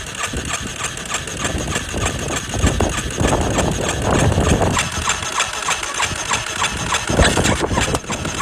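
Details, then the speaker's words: Yamaha Warrior single on jump pack, fitted with a Chinese aftermarket carb; uneven churning crank about three beats a second without catching; hard starting, historically needing up to 15 minutes cranking; owner suspects tight valves, weak suction at airbox. "However, it started so hard that you could crank this thing over for, I don't know, 15 minutes straight, and then it would finally start."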